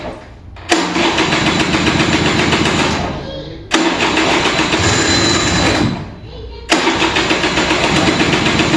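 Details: Vintage Kinetic Honda 2-stroke scooter, early-morning cold start: three starter bursts of two to three seconds, engine spinning without catching, weak ignition as the battery drains.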